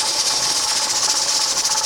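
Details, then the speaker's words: Pressure canner canning raw corn, regulator weight set for 10 pounds: steady high hissing with a soft fluttering pulse as the weight starts to rock, normal venting at 10 psi; heat then turned down slightly. "I know you can hear it, but it's starting to wobble. That means that we've reached our 10 pounds of pressure,"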